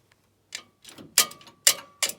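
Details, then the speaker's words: Logosol PH260 planer/moulder during strip-down and rebuild, drive turned slowly by hand with no motor: sharp irregular metallic ticks and groaning rub from a loose drive chain inside. "now i can feel something groaning on that hear that rubbing that's not good these should all be solid everything should be silent quiet as mises you can see change loose in there"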